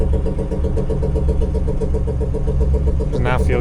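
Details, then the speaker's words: Newly installed engine in a boat on its first run, smoke inside the boat: slow, lumpy low thudding at about four beats a second, like idle despite full throttle; engine down on power, cause unconfirmed. "There's a lot of smoke inside the boat. Let's see. Hard side turn. That's not good. That's full throttle on it's like idle."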